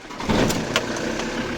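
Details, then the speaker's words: Ford Transit MK6 2.4 Duratorq diesel RWD started out of gear just after fitting a new 7PK2710 auxiliary belt to replace a worn one: steady, even idle with no squeal or chirp. Normal idle, healthy belt drive. "There we go. And that should be running nicely."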